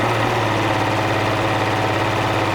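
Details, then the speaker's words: Steady, slightly lumpy idle of a Mercury 200 hp outboard with the number 1 cylinder killed on a diagnostic system; the idle miss, present only below about 1500 rpm, goes away; plugs new, compression checked, gummy #1 injector suspected after sitting since fall. "This is a motor that came in. As you notice, it's got a pretty substantial miss."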